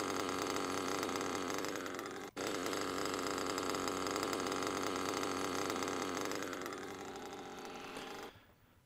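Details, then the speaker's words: Small nitro RC engine at idle with a second, rough metallic grinding sound over the normal idle, almost like the drivetrain turning. The rear bearing is toast and needs replacing, or the engine will keep getting louder. "when you hear that you know that your rear bearing is toast and you need to change it"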